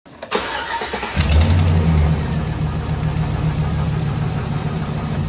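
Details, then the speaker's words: 2006 Chevrolet 5.3 V8 cranks, catches and idles with a light, quick ticking over the low rumble: exhaust manifold leak on the left side, right side already fixed; broken bolts suspected, new manifold gaskets planned. "You heard it, it's exhaust leak."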